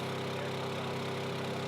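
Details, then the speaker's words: Small engine running after its carburetor bowl was cleaned of algae: steady, even hum with no misses or surging; cleaning fixed it, normal running. "There was definitely a bunch of that algae that I showed you guys was inside the carburetor bowl, but you can hear now it's running, and yeah."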